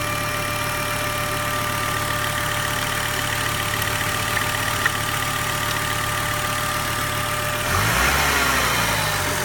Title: Volvo 850R outo ääni moottorista / weird noise engine